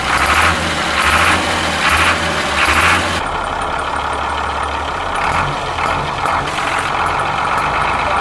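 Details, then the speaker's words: Ashok Leyland bus diesel, cold start after sitting many years: steady, even, unhurried idle clatter with no misses or knocks and no smoke at all; engine sounds healthy. "ഒരുപാട് വർഷമായിട്ട് കിടക്കണ വണ്ടിയാണ്. എന്നിട്ട് start ചെയ്തിട്ട് പോലും ഒരു തരി പുക പോലും വരുന്നില്ല."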